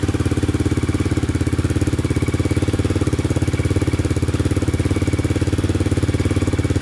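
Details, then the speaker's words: 2002 Yamaha Raptor 660 single after timing chain and bent valve replacement, just started, burning oil off the pipe, small oil leak: even regular thump at steady idle, no ticking or knocking; idles cleanly. "i was getting a little worried it wasn't gonna start because of that thing um just need to be charged so sounding pretty good"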